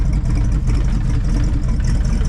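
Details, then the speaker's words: 1966 Ford Fairlane Z-code 390 FE V8 with 4-speed, running after 20 plus years on a rebuilt Autolite 4100 carburetor: deep, steady, slightly lumpy idle rumble with no knocks, burning off oil while warming up before carburetor tuning. "Listen at it idle. It's burning off all the oil and everything. You're supposed to tune on the carburetor when it gets hot, so we'll let it warm up a little bit and then I'll tune the carburetor out."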